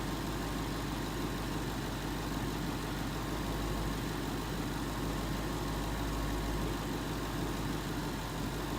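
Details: 2011 Ford Mustang GT 5.0 Coyote V8 with Roush exhaust at first start in an echoey garage, after all eight rod bearings (King CR868SI) and TTY rod bolts were replaced and 5W-30 added: smooth, deep, steady idle rumble; earlier tick and knock gone.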